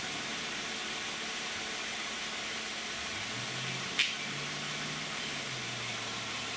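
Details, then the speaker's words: 2010 Toyota Camry 3.5 V6, 93,000 miles, Pennzoil Ultra 5W-30 synthetic with Wix filter, idling as climate control comes on: quiet, even idle under blower hiss, soft click then slight hum shift as load engages; normal. "This is what it sounds like with all the lights on. And now with the climate control on."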